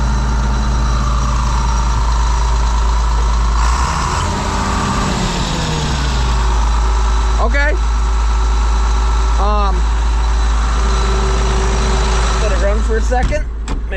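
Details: John Deere 8820 combine diesel restarting after fuel lines were bled, with exhaust fixed: catches cleanly and settles into a steady, even idle with no misfire or stumble; healthy, no leaks.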